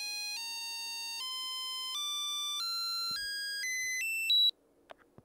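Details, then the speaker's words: ZX Spectrum 48K sound test heard through headphones, original speaker broken: clean stepped tones climbing in pitch over about four seconds, then silence; ULA and sound output working. "well this is such a simple test but the sound capabilities of this unit are very very limited so well we know it works we know the Ula is working which is great"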